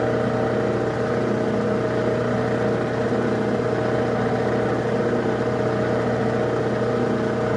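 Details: Lathe threading a Jacobs chuck arbor: loud steady droning whine over the motor, constant pitch, from its two drive belts that are a little loose.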